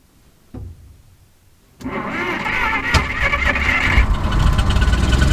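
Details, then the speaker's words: Decades-stored barn-find flathead, after new points and 12-volt condenser fitted and Marvel Mystery Oil put in cylinders, cranks briefly, catches and settles into steady even idle, less smoke, no knocks; sounds healthy. "I'd call that a success uh last couple of starts didn't smoke quite as much because they put all that uh Marvel Mystery Oil down to cylinders but it runs you believe that"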